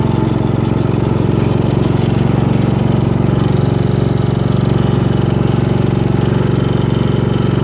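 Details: Older Craftsman hydrostatic riding mower with Briggs & Stratton 15.5 HP engine, new carburetor, fresh oil change, sat two years; steady, even low drone with a smooth regular beat, no knocks or misses, runs smooth.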